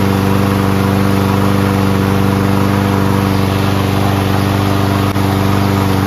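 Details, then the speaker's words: Toro Recycler Personal Pace mower with Chinese Loncin engine, started on first pull with choke manually closed after self-propulsion repair: steady, even single-cylinder chug at constant speed, no misses or knocks, no smoke despite being tipped on its side; running normally. "Pretty amazed that it started on the first pole and there's no smoke."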